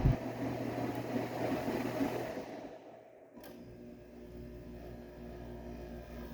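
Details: Whirlpool ACM052XH1 5000 BTU window air conditioner, made April 1999 and 23 years old, on fan only: a low, steady fan hum with a faint buzz that drops away as it winds down. Its normal, long-standing fan noise.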